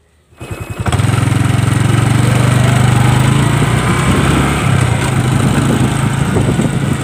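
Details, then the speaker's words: Honda Wave 110i motorcycle after a new sprocket and chain: engine revs up and runs evenly, and the rear clacking when pulling away or snapping the throttle is gone. "โอเคนะครับผมเปลี่ยนเสร็จเรียบร้อยนะครับก็เสียงดังก็หายไปแล้วนะครับขับกระชากก็ไม่ดังนะครับ"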